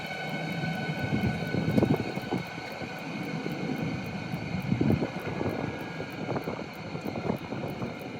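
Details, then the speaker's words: Cheap Chinese 12V diesel heater from eBay, about 99% of the air purged, turned down virtually to its minimum heat setting: soft steady fan roar with light, regular fuel-pump ticks about three a second; running evenly. "so as you can hear the diesel pump has actually been reduced virtually to minimum heat setting"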